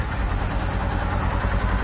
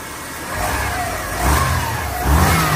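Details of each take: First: Subaru Forester boxer, high mileage on LPG, first start after months with weak battery: uneven lumpy low idle, shaking on three cylinders; owner suspects burnt valve from LPG, compression test planned. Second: Subaru Forester boxer engine, LPG-run with high mileage: catches and revs cleanly twice, rising and falling smoothly with no misfire stumble or knock; runs properly now, though said to need adjustment.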